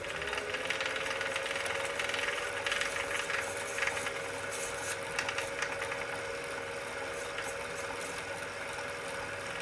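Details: Wahoo Kickr Core trainer: steady hum from the spinning trainer with faint, uneven light clicks about twice a second; a clicking noise whose source isn't pinned down.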